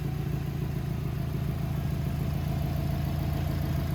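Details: 2007 Subaru WRX with swapped STI engine, after first start and a 15-minute break-in at about 2500–3000 rpm; steady, even low rumble at idle with smooth regular beat, no knocks or ticks; running cleanly.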